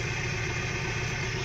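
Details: Hyundai Accent petrol at idle, high RPM then dropping, jerking and shaking whole car with blinking check engine light and low power; uneven low thump of a misfire, ignition coils suspected of leaking spark.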